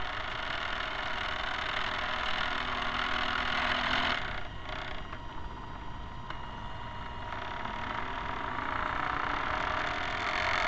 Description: Excess noise produced by the dog-bone type motor-shaft couplers was encountered.